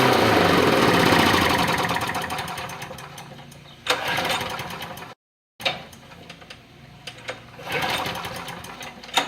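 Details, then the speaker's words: John Deere push mower with hard starting, after primer button replacement. It catches and buzzes briefly, then fades and stalls. Owner suspects the carburetor needs cleaning. "I'll try to fire it one more time. If it don't stay running, then I'll end up cleaning the carburetor, I guess."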